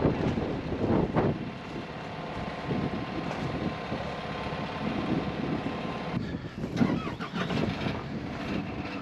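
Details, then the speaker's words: Skid steer diesel whose fuel filter was changed the day before, a hard start that was said might happen. It cranks on and on with a laboring churn before catching, recorded outdoors. "it's okay just keep going he changed the fuel filter yesterday he said that might happen"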